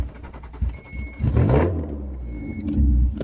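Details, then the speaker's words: Old wagon whose motor still holds good compression (about 180 psi per cylinder), test-driven to compare with before: the starter churns about a second before the engine catches into an uneven idle; a slow start, seems to be missing a little. "the same it always takes a second so like it's missing a little bit"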